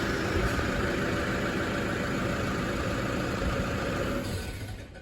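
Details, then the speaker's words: Toyota Hilux diesel with high kilometres, restarted after sitting a couple of hours to check earlier blue startup smoke. Even, steady idle with no knocks or misses, then winds down at switch-off. Smoke absent, possibly a one-off. Normal idle. "Not there like it was before. Interesting. Might have been a one-off."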